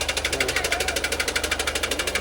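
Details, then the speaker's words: Toyota Wigo whose air cleaner took in water during rain and sucked it into the engine: sharp metallic knock about ten times a second, steady over the idle. "Nangyari niya napasukan ng tubig yung air cleaner. Nakahigop siya."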